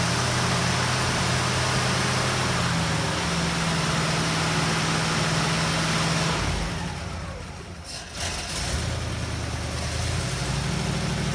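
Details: 1960 Pontiac Ventura barn find V8, rebuilt Tri-Power carburetors, after timing adjustment: lumpy idle stumbling and dipping midway then recovering; owner suspects timing slipped, unsure, and too much fuel.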